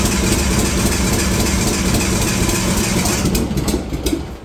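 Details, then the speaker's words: Nissan RB20 engine first start in 5 years after a car rebuild; catches and runs lumpy and uneven, then fades, seemingly on only some cylinders; misfire cause unconfirmed, timing or fuel injectors suspected. "Oh, it doesn't sound very good, but holy fuck. It's doing something. It's definitely doing something. Running on some cylinders, I think."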